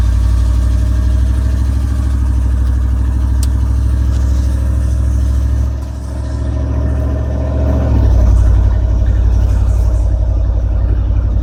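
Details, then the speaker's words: 1994 GMC Sierra 3500 5.7L, after transmission fluid change, new speed sensor just installed: loud steady high engine drone with no shift, brief sag, then climbing again. Automatic not upshifting past first; speed sensors ruled out, cause inconclusive. "well today evidence is inconclusive as for why it's doing it but what is conclusive is that it's not the speed sensors"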